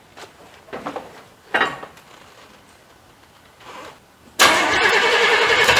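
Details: 1985 Chevy C30 diesel-to-gas engine swap on first start: scattered cranking, then rough, uneven running as if firing on about three cylinders, with heavy smoke and diesel smell; firing order to be checked, cause not confirmed.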